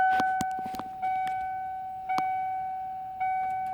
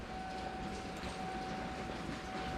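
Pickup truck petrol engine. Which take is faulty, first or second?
first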